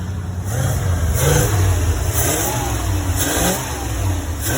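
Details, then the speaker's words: 1975 Ford E100 van V8, alternator suspected not charging (wiring or alternator); deep, even rumble swells cleanly with each throttle blip and settles back smoothly; engine strong and healthy. "looking good [Music] [Music] man am I happy to hear that I tell you makes it all worthwhile"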